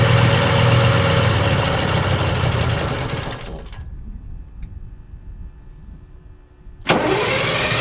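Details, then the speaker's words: AVGP Husky armoured vehicle after sitting 15–17 years outdoors, first start attempt: starter cranks steadily about four turns a second without firing on its own fuel, though it runs on ether; fuel delivery problem suspected, not confirmed. "the engine is certainly capable of running on ether but we were not able to get it to fire on its own fuel"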